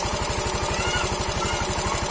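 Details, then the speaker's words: Yamaha Mio M3 125 scooter after cylinder block and piston replacement, damage caused by running out of oil, running on a straight open exhaust; steady quick popping idle, even firing, no knock or rattle, smoother than before repair; normal idle. "ini sudah nyala mesinnya ya ini sudah ya saya pakai knalpot dan kita saksikan kita biarkan sama-sama lurus suaranya ya"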